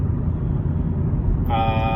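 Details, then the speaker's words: 2010 Volvo S40 test drive after replacing the front driver-side wheel hub bearing: even, low road rumble at steady speed, the horrible hum from before gone; a very faint hum remains, possibly a tire flat spot. Normal wheel bearing. "taking it out for a second spin to see if the noise is gone beautiful the horrible hum that we were hearing before is no longer present"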